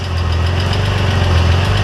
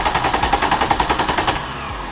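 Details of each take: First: VW Corrado VR6 that had been stalling and not starting, found with no spark. The engine catches and settles into a steady, even low idle with no misfire. Fixed after the spring contact from the ignition coil, which was pushed all the way in, was extended. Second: VW Corrado VR6 with intermittent stalling: fast, even cranking that never catches, with no spark. A new crank sensor didn't help; the fault was a poor contact at the distributor rotor, fixed by cleaning it.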